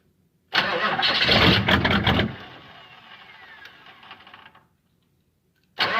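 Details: Diesel-swapped Monte Carlo, cold start in snow after sitting, no throttle, little glow plug preheat: a loud crank and catch, then an uneven, lumpy idle that fades out; it smooths out once the glow plugs warm up.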